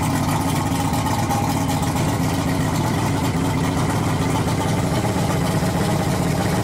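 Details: Yamaha V6 225 outboard converted to run on LPG (two gas converters, gas mixing plate) idles with a low, even burble and steady beat, no misses or knocks; owner reports some power loss since conversion but smooth normal idle here.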